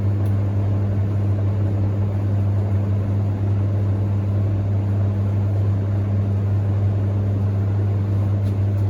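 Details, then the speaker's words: Hoover Ecologic D6722 reversing tumble dryer, after being taken apart and de-fluffed internally, test run with lid on and heating up: low steady hum, even drum rumble, no scraping, thumping or squeal; smoother than owner's older one; normal running. "Nothing wrong with that. Sounds a heck of a lot smoother than my original one. Quite happy with that."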